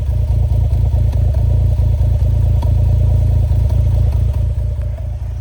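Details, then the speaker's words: 1996 Suzuki Jimny small 3-cylinder idling, heard at the exhaust at the rear: steady deep even burble with regular low pulses, no knocks or rattles; very smooth, healthy idle. "Idle's great, especially for like for a little 3-cylinder. It's very smooth."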